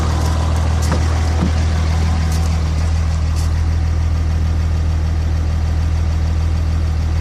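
Steady low diesel rumble with an uneven pulse running a few beats a second throughout; the idle is rough, cause unknown.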